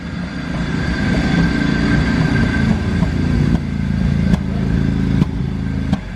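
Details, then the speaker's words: Mazda RX7 Series 1 12A rotary just started after sitting 10 years, fouled plugs cleaned: rough uneven revving with irregular spitting exhaust pops, fuel-laden smoke; running rich after long storage. "Look at the stuff coming out the bag. It's fuely."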